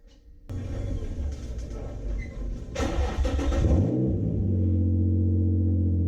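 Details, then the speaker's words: Nissan 370Z with the exhaust removed for cleaning, straight pipe: cranks and catches within seconds into a loud, raw, booming idle with a deep steady drone. "also this has now no exhaust on it so get ready for a straight pipe BQ hope you brought your earplugs"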